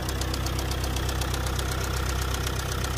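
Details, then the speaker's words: Car engine with a sudden noise and strong shaking on acceleration that worsened over some kilometres, with clicking and a foul smell from the rear; all four injectors tested fine by scanner. A sharp, steady metallic knock about four times a second over idle; bearing-like knock suspected, possibly from excessive speed. "شعرت ضجيج في المحرك ورجه قويه عند التسارع، تجاهلت الموضوع لبعض كيلومترات ثم تفاقمت الصوت تقطقه ورائحه كريهه من الخلف،"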